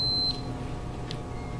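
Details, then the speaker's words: Refrigerator defrost timer tested with a multimeter on continuity: terminals 1 and 4 beep clean and briefly, meaning the contacts are closed with the timer back in run position after clicking out of defrost. Normal continuity. "we know number one and number four is normally close when it's in run position you hear the sound that means good"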